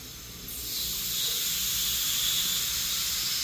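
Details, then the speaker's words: Pool plumbing leak detection with air pushed into the water line: steady high hiss starts once the air reaches the leak, and gauge pressure drops quickly because air escapes faster than water. Air leak in pipe. "See how now the pressure drops very quickly. So that's that third pressure testing principle. Air escapes faster than water does."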